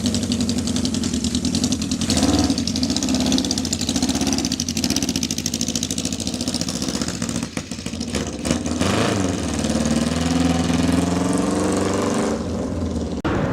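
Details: 1979 Kawasaki KZ650 four-cylinder bobber, first start with a new tank: loud lumpy hunting idle with throttle blips; a torn carb boot let the number four carb leak vacuum and upset carb sync. Boot replaced, then synced; vacuum leak.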